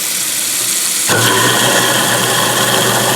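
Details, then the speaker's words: New Moen Prep GX50c disposal replacing an InSinkErator Badger 1/3 HP. It spins up abruptly to a steady whirring hum with water hiss and no grinding. The motor end is quieter; the owner notes it got quieter after a few runs with the drain cover fitted. "It's just a garbage disposal, but if you were on the second floor and perhaps someone was underneath you, the motor part is definitely quieter."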